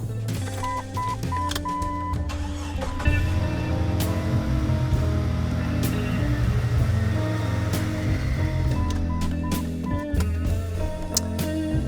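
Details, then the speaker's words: 2000 Jeep Cherokee XJ 4.0L after replacing all six fuel injector harness plugs, before the 4-hole injector swap. The engine starts and holds a smooth, steady idle under loud music with no misfire; no fuel smell, and the plugs later survived a hot run. "okay clean idle I smell my exhaust Le but I don't smell any fuel so I think we're in good shape"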